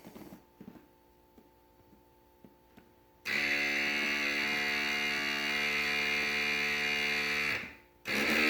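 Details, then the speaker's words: 2008+ Harley ABS brake bleed via ITM HD1 flush utility, rear brake pedal held, battery fully charged: clicks then steady buzzing HCU pump motor whine for about four seconds, stops, restarts; normal ABS pump run. "and we're going to press and hold the rear brake pedal and click the continue button, and we'll hear the HCU motor kick"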